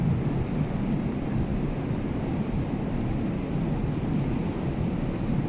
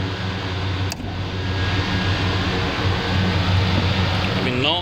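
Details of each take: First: Air conditioner indoor blower unit, blower motor rated 15.1 A, with airflow suspected to exceed design pending air balancing. Steady heavy rushing roar of air with no knocks or squeal: loud airflow noise, cause not confirmed. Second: Air conditioner belt-driven blower after belt tension was adjusted and check nuts tightened: steady low airflow roar with an even hum, no belt squeal or knocking; blower running normally.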